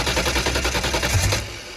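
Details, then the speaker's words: Race car converted from methanol to gasoline for winter storage, with startup enrichment and accelerator pump turned way down and some methanol still in the lines, cranked on brake clean with a little throttle: rapid ragged pops, then it dies. Rough popping on starting. "okay so we just hit it with brake clean fire it over and let's see if it cranks i need to give a little bit of gas though get the brake cleaning in there"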